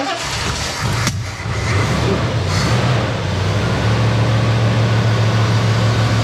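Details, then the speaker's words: 1976 Ford F-350 V8 right after carburetor refit: low, lumpy idle with uneven pulse settling into a steady drone; idle and air-fuel mixture still need adjusting. "Okay, we'll get the idle and the air fuel adjusted, air fuel mixture adjusted on it and stuff like that. And then uh see if we can get it to run a little bit better."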